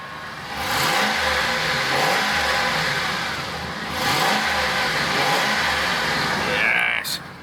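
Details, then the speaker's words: 2005 Ford Expedition King Ranch 5.4 Triton V8, 79k, LPG conversion (runs petrol until warm then switches to gas): big V8 blips up smoothly three times and returns to a clean, even idle; healthy normal revving. "Now, doesn't that sound good?"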